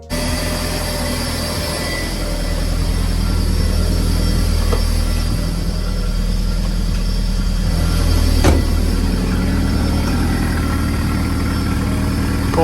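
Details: Audi TT after new spark plugs and coil pack (one replacement coil pack) installed: steady low idle with even beat and no misfire stumble; runs smoothly after the swap.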